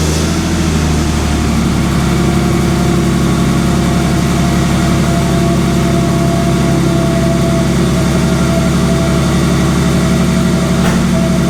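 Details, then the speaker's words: Ford Sport Trac 4.0 with 246,000 miles on 10W-40 oil instead of 5W-30: a smooth, quiet idle with no timing chain rattle, only a faint tick. This is a temporary silencing, not a tensioner fix. "so wow okay first impressions that is the quietest that thing is idle on the engine side since i got it"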